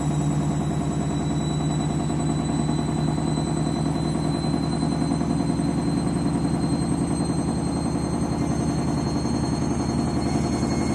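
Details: Candy washing machine, final spin with new clothes: steady low rumble with a fast, uneven clatter as the drum ramps up, cause unclear; abnormal noise during spin.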